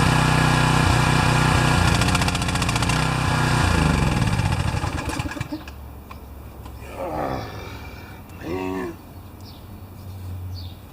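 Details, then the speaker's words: Pressure washer with automatic choke, fresh oil, new air filter and a cleared clogged bolt, runs unevenly, sputters and coughs, then dies; someone had moved the choke, leaving it stuck closed. "You saw that video out on the grass where it was just sputtering and coughing and really not happy."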